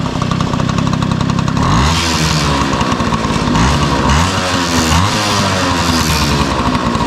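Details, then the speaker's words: 1971 Yamaha Mini Enduro two-stroke, first start in decades after carburetor cleaning, muffler refitted with washer O-ring; catches, quick revs rise and drop cleanly, then steady ringing idle with no misfires. Normal running. "Man, that is impressive. Wow. I can't believe how good that's running."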